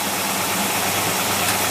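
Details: V8 engine on test with a Holley 4780 double pumper carburetor, mixture preset: steady, even idle with no misses or surging, a smooth unbroken hum; running clean.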